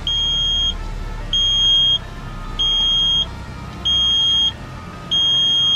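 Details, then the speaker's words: 2012 Hyundai Veloster, key in the ignition during a climate control unit replacement: a high chime beeps steadily about every 1.3 seconds. Repeated warning chime, cause unknown. "what the freak is that beeping for like what is this a school bus geez"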